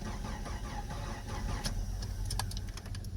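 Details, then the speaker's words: Jeep Comanche, towed in with driveline disconnected, first key try: starter turns engine over at a steady even churn but it never fires; crank no start, no spark. "let's just give the key a whirl and see what happens lights up turn it over that's good"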